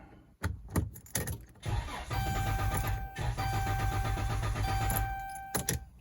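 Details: 2012 Dodge Caravan after a TIPM key-cycle reset: a warning chime, then about three seconds of steady rhythmic cranking that never catches. TIPM, WIN and fuel pump were replaced before the faulty ECU was found: crank no start.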